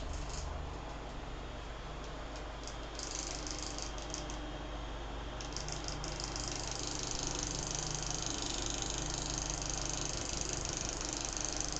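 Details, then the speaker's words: Venol household fan running: steady hum with light fast ticking scrape as the slightly tilted blade catches the inner plastic grille. "hélice ó a hélice ela tá pegando aqui ó nessa parte porá de dentro aqui ó Nessa grade aqui de plástico ó aí ela fica fazendo esse barulho"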